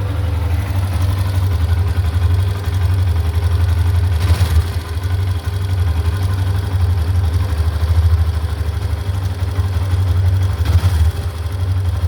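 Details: Hero Xtreme 125R motorcycle at 619 km: steady single-cylinder idle with a fast, even "khit khit" tick over the low thump; abnormal engine ticking noise, cause unknown.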